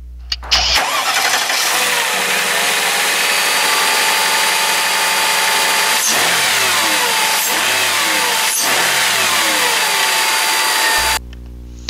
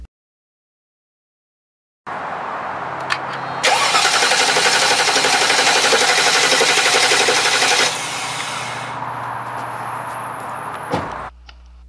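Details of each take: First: 2000 Mercedes-Benz S500 restarted after crankshaft position sensor replacement, which fixed engine stalling and no-start. Short crank, catches quickly and settles into a steady, even idle with no stumbling; normal start and idle. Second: 2000 Mercedes-Benz S500 cranking with the air filter cover removed: the starter spins the engine with an even chatter, about four beats a second, but it never fires; failed crankshaft position sensor, no-start.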